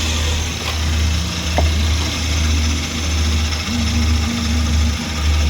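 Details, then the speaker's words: Suzuki DA64W turbo engine running after inspection, hoses still soft, only cabin filter needing attention: low steady hum, smooth even running, no ticking or knocking; quiet and healthy. "Yun guys, so ayos naman yung ating naging inspection dito. Bali, cabin filter lang yung ating na ano dito. Yan, tahimik naman yung makina."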